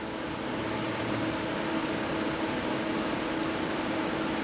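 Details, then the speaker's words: Car electric cooling fan commanded to 100% duty cycle through a pocket scan-tool actuation test: steady airy whoosh with a faint even hum, constant throughout. The fan runs smoothly at full speed. "we're at 100% duty cycle I don't know if y'all can hear it but we do have fans going"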